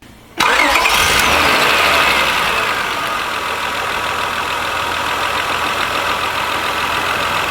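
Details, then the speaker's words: 2000 Honda Accord 3.0L with code P0505, after an OEM idle air control valve was fitted and the EGR reconnected: quick crank, instant catch, then a smooth, steady low idle with no surging; fixed, the IAC valve was bad. "all right guys so as you can hear the engine is running the idle speed is very low the engine sounds great it does sounds great so the problem was a bad Ido air control valve"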